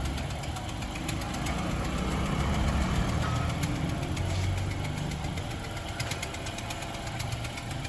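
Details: Honda Civic engine at steady idle with a fast, fairly regular ticking knock over the low rumble; engine knocking, cause unknown.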